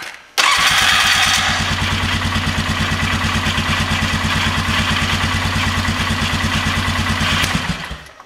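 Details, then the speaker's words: 2000 Polaris Sportsman 500 ATV after starter replacement, test start: starter spins briefly (possibly hanging slightly), single cylinder catches and settles into an even, steady idle with no misses or knocks; clean healthy start. "I know I'm happy with being able to start it so going to button everything up"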